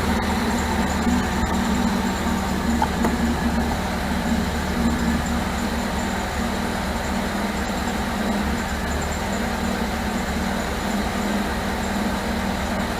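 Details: 1978 MGB after rebuilt carburetors were fitted and the ignition points deleted. Steady but uneven, lumpy idle with a loose rhythm and no crisp beat. Timing rechecked and distributor turned until it would run; still rough, and the owner suspects the distributor needs more adjustment.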